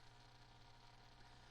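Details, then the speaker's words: Very old but reliable canister filter on an overstocked 55-gallon cichlid aquarium, running noisily: steady low hum with a faint buzz, even and unchanging. "as you can hear it's noisy as all heck it's super old like I said and it's never failed me"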